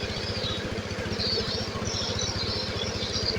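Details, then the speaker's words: Honda Beat Pop two-stroke after engine rebuild (scored cylinder block and old piston replaced; reset and scanner removed; oil recently changed): quick, even popping idle with no misses; very smooth and no longer smoking white, which it did before. "suara sangat [Musik] halus knalpot sudah tidak mengeluarkan asap lagi ya teman-teman"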